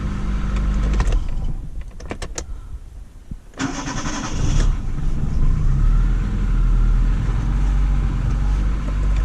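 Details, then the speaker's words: Daewoo Sens after new starter brushes and starter refit: a few starter clicks, then the engine catches quickly and settles into an even idle; starts normally, though the battery still needs replacing. "стартер я установил что попробую всё чётенько отлично заводится все хорошо"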